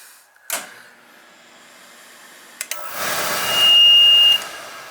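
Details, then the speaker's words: Oil boiler that ran out of oil, being bled: short electronic tone while control button is held, burner fan roaring, as it enters purge cycle to clear air from oil line. "We'll release it. Now it's going to go on a purge cycle. Give it a good purge."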